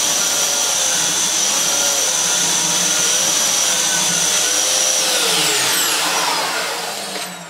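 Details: Dyson Cinetic DC54 after refurbishment, previously used heavily for DIY: steady high airflow roar, smooth motor whine, brush bar turning evenly, no rattles or surging, clean run-down; normal running.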